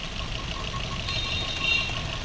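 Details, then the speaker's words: Maruti Swift BS6 with CNG fitted, idle after three ignition coils replaced to cure misfire: even, steady idle hum with no stumble or skipped beats; engine now quiet, normal idle. "तीनों कइल change हो गया दोस्तों और अब गाड़ी silent हो गई है"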